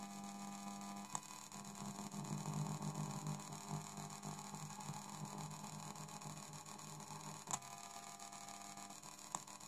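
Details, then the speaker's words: Mp3 module powered from a tape deck's tape-drive DC motor supply: low, constant mains-type hum with a faint rough buzz through the deck's amplifier and speakers; suspected ground loop between the deck's ground and audio ground, sending parasitic high-frequency noise current through the module. "I think It happens because ground and audio ground of the tape deck have different potentials. (This phenomenon is known as a ground loop, see Wikipedia for details) therefore parasitic current begins to flow through the mp3 module."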